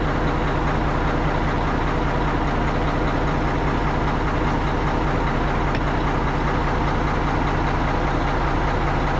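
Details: Tri-axle dump truck diesel after a roughly $5 no-start repair (dead battery diagnosed with a load tester, dielectric grease used), settling into a steady, even idle with a regular low thrum, no misses or knocks; runs healthy.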